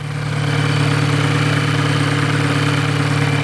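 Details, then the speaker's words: Volkswagen GTI petrol engine with well over 100,000 miles and a history of abuse, idling after an oil system treatment: steady low hum with a busy, clattery rattle; carbon buildup is suspected as the cause of the noise. "Now, yes, this is a Volkswagen GTI with well over 100,000 miles on it. It's going to make noise. It's been abused in the past."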